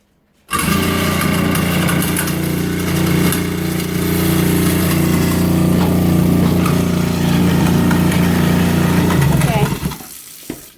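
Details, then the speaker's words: Garbage disposal about to be replaced runs with a loud, steady low hum and rough buzzing edge for about nine seconds, floor vibrating while it goes; it also stinks; noisy harsh running, cause unknown. "yeah i'm pretty sure the garbage disposal is not supposed to sound like that uh you can feel the floor vibrate when that thing is going"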